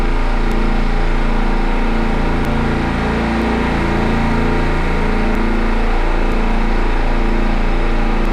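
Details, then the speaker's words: Midmark Power Air dental compressor after fixing an air leak near the pressure switch, timed pumping up from about 80: even, steady low drone with a smooth rapid pulse and no knocking or squeal; normal pump-up of about 25 seconds. "all right so we're at 25 seconds which means every time this compressor turns on"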